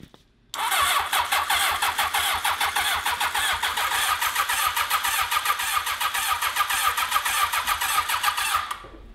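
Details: 1982 Honda CB750 750cc on 95-octane fuel with choke on: the starter cranks steadily, about 3.5 pulses per second, with no firing. It is fuel-starved because varnish is clogging the carburetors.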